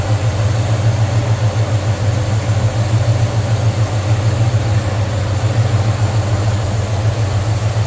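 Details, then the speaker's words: Normal idle of a 1969 Chevrolet C10 half-ton regular cab short box with a 350 small-block Chevy, Turbo Hydramatic 350 automatic and HEI ignition, recorded with the hood open: a deep, even V8 burble with smooth, regular firing pulses and no tick or knock; sounds good. "sounds good looks good nice tiny clean engine bay"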